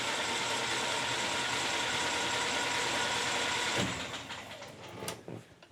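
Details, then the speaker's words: 1968 Land Rover Series 2A, not started in 30 years, after cleaning and correctly rewiring the ignition switch: even starter churn about 2.5 beats a second for four seconds, then stops; engine cranks over freely. "So in theory if I crank over now the engine should crank over."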